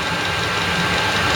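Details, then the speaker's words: eBay 8 kW Chinese diesel heater in a 10x10 ft workshop, 11 °C, running wide open at full heat output, temperature reading rising to 52–54; fans spinning fast. Steady even roar with airy hiss, no surging. Normal full-output running. "let it run for a little longer still kind of running wide open this fans are spinning real fast"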